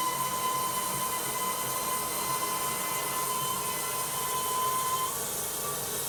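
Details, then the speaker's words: Noise heard for about 20 seconds while the tank refills after flushing; only this toilet in the house does it: a steady rushing hiss with a thin constant whistle that shifts slightly near the end. Cause not identified. "So you flush the toilet, it does that noise for like 20 seconds. So yeah, that's what happens when you flush this toilet. None of the other toilets do that though, just this one."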